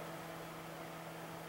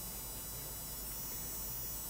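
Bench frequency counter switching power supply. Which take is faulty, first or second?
second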